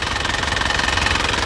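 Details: 2008 Isuzu Panther LS Turbo diesel: quick even clatter at steady idle with faint whistle, no stumble, no smoke, no oil seepage; normal healthy diesel idle.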